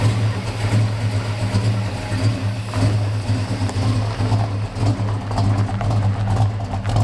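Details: 1969 Dodge Charger V8 that sat in a field 34 years, recently cam-swapped and likely still on break-in oil, runs rough with a deep lumpy, stumbling beat under revving; owner suspects the carburetor and says timing was never dialed in.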